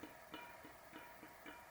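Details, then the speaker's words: 2016 Giant TCR Advanced Pro with Scribe front wheel, about 1500 miles: light regular ticks about three a second as the wheel turns; the front axle moves in and out and is loose, suspected cause of the knock. "i've been starting to get a noise when i removed the bike and i don't know as you can see but the front axle there you can hear it"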